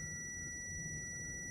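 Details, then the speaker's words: Dead server 12V high-amp power supply, multimeter continuity check across the removed main capacitor: steady unbroken high-pitched beep; capacitor shorted, reading 1 ohm. "and I found this um our capacitor is shorted. The main capacitor is shorted."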